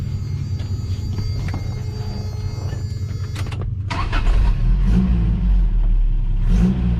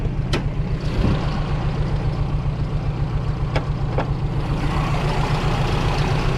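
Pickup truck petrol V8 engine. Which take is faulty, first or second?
second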